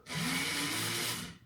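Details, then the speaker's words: Jaguar MKII under reassembly, ignition on: windscreen washer pump gives a short electric whir with a steady high hiss of spray for about a second, then stops; washer works normally, though the wipers do not work. "That works. I'm not going to do that anymore because I'll get wet."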